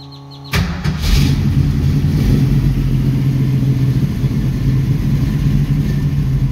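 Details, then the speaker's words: 1966 Mustang with Holley 650 double pumper carburetor, after transfer slot adjustment: engine catches quickly and settles into a steady idle without throttle, running longer than ever though a little cold-blooded; previously died unless gas was pumped. Normal idle. "it's on though so it's wanting idle idle circuit now you know it's it's exposed and the car is running I've never seen this car run this long"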